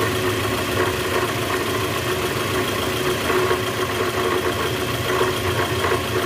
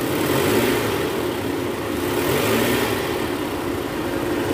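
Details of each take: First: 2010 Toyota Vellfire, 2AZ-FE 2.4L engine, 100,000 km, cold morning start after sitting overnight, in reverse with the brake held, heard low on the engine: a steady, dull rattle that doesn't let up. Indicates a worn or broken-up balancer shaft. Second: 2010 Toyota Vellfire, 2AZ-FE 2.4 L, after replacing a failed balancer shaft, heard from start-up: even, settled idle with a smooth hum and no harsh rattle or rough knocking; normal idle restored.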